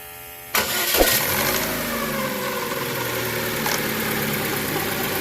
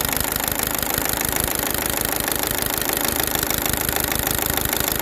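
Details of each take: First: Chevrolet Cruze after replacing both intake and exhaust cam phaser gears and setting timing: engine catches cleanly and idles evenly, with no ticking or rattle from the top end; intake gear noise gone. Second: Chevrolet Cruze LT engine idling with a busy metallic clatter from the timing gears, traced by ear to the intake-side camshaft gear; mechanic plans to check oil pressure with a gauge, as on a previous Cruze with this noise.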